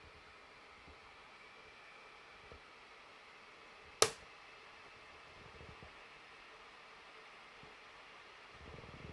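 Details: 2016 MacBook Pro under heavy stress-test load, steady quiet fan hiss broken by a single sharp pop; random popping happens when the machine is cold, randomly, or when the lid is touched while warm.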